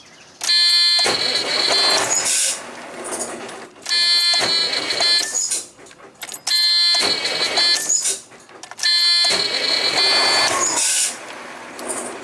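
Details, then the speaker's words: Truck with a hard-starting issue after multiple bad ground connections were repaired: four brisk, steady cranking bursts as the starter now spins strongly and evenly, with no cables getting hot. "we're gonna go ahead and hit this uh starter a few times and see it should spin a little faster hopefully"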